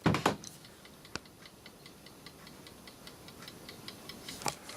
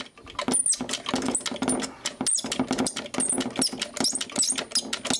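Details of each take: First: Landis & Gyr / Osaki mechanical time switch on test: faint, quick, evenly spaced escapement ticks in a quiet room, running again after a tap freed static friction. Normal escapement ticking. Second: Landis & Gyr / Osaki time switch escapement being wound: quick ratchety clicking with sharp high squeaks, mechanism stiff and seized up, owner plans to strip it apart to free it.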